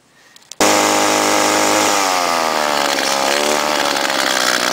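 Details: Trimmer unstarted for a month and a half, needing long cranking: fires and screams high, then pitch sags and wavers instead of settling to a steady idle; owner thinks it's not getting enough gas, carburettor seems clean, maybe muffler.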